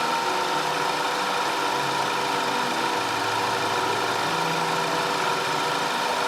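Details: 2010 Audi A5 2.0 TFSI Cabriolet after repair of random and constant cylinder 4 misfire (P0300, P0304, P130A): smooth, even idle with a steady hum and no stumbles or skips; four-cylinder running cleanly.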